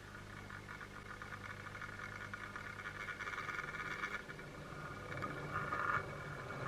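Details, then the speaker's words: New Bachmann EFE BR Class 74 model loco with coreless motor, before running in, crawling on a Gauge Master Model D controller with 10 µF output capacitors: faint raspy buzz as it creeps that soon fades; sensitive motor, quieter with 200 µF smoothing. "Now, it soon goes, which is not too much of a problem, but it does show that these are a very sensitive motor."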